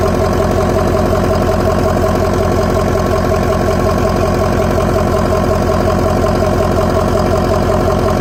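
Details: 2004 Ford F-350 6.0L diesel after installing a Sinister Diesel blue spring kit to cure a fuel filter leak: steady, even idle with low regular clatter and a constant hum; healthy, no leaks.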